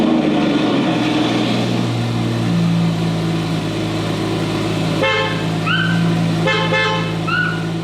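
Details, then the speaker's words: Porsche 987/997 Boxster/Cayman/911 after steering wheel replacement and battery reconnection, engine running: two clear, bright, firm horn blasts, horn working normally. "all right let's start it up try the horn"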